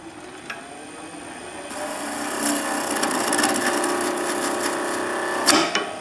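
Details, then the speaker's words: Skew chisel on a wood lathe levered over the timber, opening a gap at the tool rest: steady rasping cut, then one sharp loud bang as the chisel digs in and slams onto the rest. A catch. "what a lot of people do is lever over the timber here, and it creates a gap down in there, and suddenly the chisel will slam into the tool rest."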